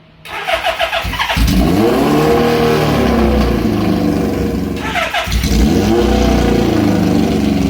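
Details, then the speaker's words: 1978 Suzuki GS1000 four-cylinder with open pipes, after an oil refill of 3,400 ml and refitting the clutch cable: revs up and settles into a smooth, even run; the earlier clickety-clack is gone, though the clutch still needs adjusting. "Oh, it sounds better. Doesn't sound like it's clickety-clacking like it was."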